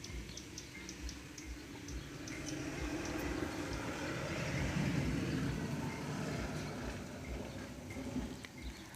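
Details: Honda CG single-cylinder motorcycle idling with the top-end cover off: light, regular ticking from the valve train; pushrods and rocker arms worn so valves can no longer be adjusted, so the valves, pushrods and rockers will be replaced.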